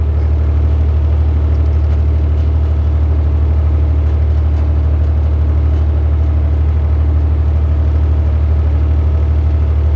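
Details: Massey Ferguson 35 Perkins diesel tractor after a $130 low-cost rebuild (cylinders honed, head cleaned, new gaskets after bad pistons were found), test drive in second gear under load: deep, steady diesel drone, even beat, no misses or knocks; now runs without smoke and with plenty of power.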